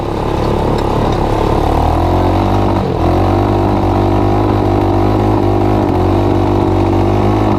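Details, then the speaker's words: Honda TRX200SX single-cylinder ATV engine in EZGO golf cart, driving with choke partly on: uneven lumpy "lumpity-dumpity" thump wavering under load, too rich; rough running from choke. "I got the choke part way on. That's why it's doing the lumpity-dumpity thing."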